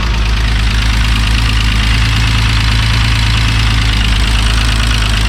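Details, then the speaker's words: VW MK3 VR6 turbo wagon at first start after build: steady, even idle with light fast ticking on top, lifters a bit loud though checked and working; owner expects ticking to decrease as it runs. "so the car's idling really well the fans work i will say it is a little bit loud the lifters um but i had checked them they all work no problem"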